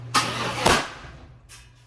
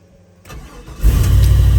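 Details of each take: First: 1995 Chevrolet Impala SS, 5.7 LT-1 with cast iron heads, backfiring after the injectors were cleaned; two sharp bangs about half a second apart while cranking, then a fading rumble: backfire traced to a faulty Opti-Spark distributor. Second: 1995 Impala SS 5.7 LT-1 after Opti-Spark replacement, not run for about a week, oil at full mark; cold start with brief crank, catches at once and settles into a smooth even idle: normal cold start.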